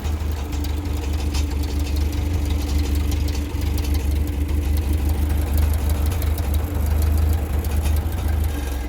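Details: Ferguson 35 tractor idling after a service (oil, oil filter, air cleaner): an even, steady low idle with no knocks, misses or rattles, engine healthy while oil pressure is watched on the gauge.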